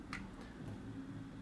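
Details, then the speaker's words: Sony HCD-H881 hi-fi 3-CD changer with the tray removed, powered on: a low steady motor hum with a light tick while nothing moves; a drive belt has come completely off, so the tray neither turns nor opens. "il fait du bruit il fait beaucoup de bruit encore une fois c'est un problème de courant là il y a déjà une courie qui est complètement complètement retirée"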